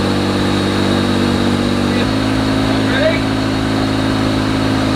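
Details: Vintage BMW with a new DIY full stainless Borla exhaust: catches and settles into a steady, even idle, with a deeper exhaust note partway through. Smooth and healthy.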